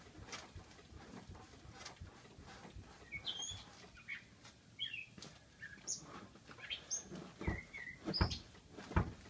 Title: 1985 280sl Name that suspension noise